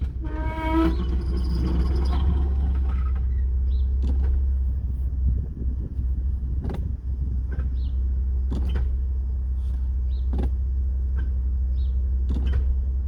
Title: 2016 Macan S grinding noise when driving forward